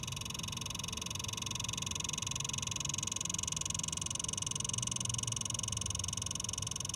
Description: I just bought this xbox and after 10 minutes of playing it’s start to make ticking noise